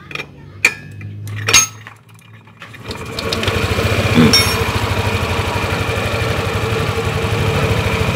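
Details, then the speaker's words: Yamaha Lexi scooter with a battery that often drains; dies after high revs if the battery is removed. A few clunks, then it catches and settles into a quick, even idle putter. Charging coil reads about 11 V AC, normal. "Oke, motor dalam kondisi hidup."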